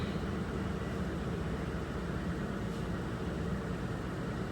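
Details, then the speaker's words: 2003 Ford Expedition 4.6L V8 at idle after replacing the ignition coil pack for a P0302 cylinder 2 misfire, no codes present: steady, even low rumble with no stumble or skipped beat; the misfire felt before is gone. "So I'm gonna let it run for a while, and let's see if I feel this misfire. See if I feel it. No, definitely it's a change. I don't feel it like I felt it before."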